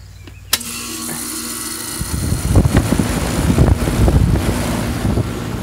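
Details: Condenser fan motor on an air conditioner after replacing the bad capacitor that kept the fan from starting: a click as the unit switches on, then a steady compressor hum with the fan coming up to a rushing run, normal startup.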